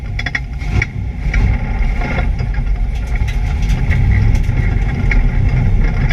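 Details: ABR Camaro on misfire laps: loud engine pulling hard on track with an uneven, choppy beat under load, an engine misfire of unclear cause.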